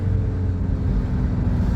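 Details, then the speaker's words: Nissan Navara 2.5 diesel manual at 226,000 km with no work done, run flat out: a hard diesel drone with a coarse rattle and little pull past 3,000 rpm. Lack of power suspected from a blocked intake needing a decarbon. "Listen to it. Rattling. This one hasn't had anything done. It's come to us from another mechanic."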